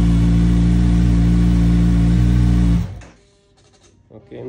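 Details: 2022 Kawasaki Z900 showing 18 on the odometer, in neutral and run briefly indoors, first start after ECU replacement and immobilizer programming for a no-start electrical fault: strong, steady low note with an even rhythm, then cut off; runs cleanly.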